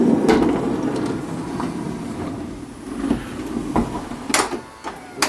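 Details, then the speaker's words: 2005 Honda Odyssey passenger-side power sliding door: motor hum with irregular bumps, scraping and sharp knocks as door travels; worn sliding roller hinge, to be replaced. "I'll open it one more time and you can hear it. Hear it scraping along and stuff. What's happened is we're going to replace this piece. It's the hinge, sliding hinge."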